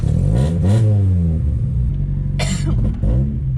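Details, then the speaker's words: 1989 Honda CRX Si on its first test drive after sitting outside about 3 years, oil topped up from 1.5 quarts low, very little fuel (owner believes it needs 91 or 93). The engine pulls but stumbles and surges as it accelerates, a slight sputter with the cause unknown. "Got a little sputter. She got a little sputter."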